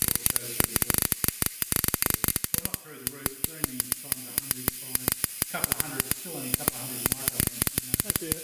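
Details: Air-spaced capacitor on HiPot tester raised to about 7–15 kV, drawing small current: sharp irregular snaps several per second over steady mains hum and hiss; high-voltage arcing or corona discharge suspected, not confirmed.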